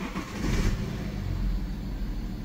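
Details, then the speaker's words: BMW 5 Series F11 525d, N57D30A 3.0 diesel, manual gearbox, 197,694 km, revving: runs but rough uneven low rumble with clatter on the rise; abnormal engine noise, cause not yet known, engine to be dismantled. "naprawdę jeszcze ładnie idzie tylko tyle że słychać hałasy"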